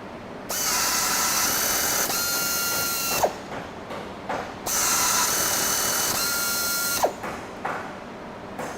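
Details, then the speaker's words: Helicoil tapping arm with a 1500 rpm air motor tapping a 1/4-20 blind hole in stainless steel, using an OSG three-flute bottoming tap with coolant: steady high whir for about 2.5 seconds, then reverses out. Clean, normal tapping cycle. "so yeah stainless steel quarter 20 tap in and out in a couple seconds zero tap breakage straight threads what more can you ask for at the end of the day right"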